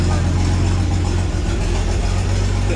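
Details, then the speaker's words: 1986 GMC S15 Sonoma Sierra Classic at a rough low idle during oil-change warm-up: a constant raspy hiss and chuffing as exhaust blows out of multiple places, at the rotted cat and a failed joint. "I can just hear the exhaust blowing out of multiple spots I can just hear the exhaust blowing out of multiple places on that"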